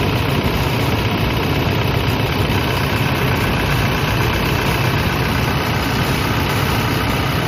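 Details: Toyota Innova 2KD diesel at idle during alternator charging test: steady unbroken tick-over, no squeal or whine from the front; charging test OK at 13.81 V, cranking above 11 V. Normal idle.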